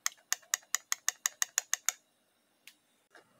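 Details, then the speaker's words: Holden Cruze 6T40 automatic transmission solenoid (black type), removed and bench-tested at 10.5 volts while addressing slipping in 2nd and 6th gear; crisp, even clicks about five a second, then a few stray ones, snapping in and out cleanly: normal solenoid operation. "There's one of the black ones. And you can hear that actually working."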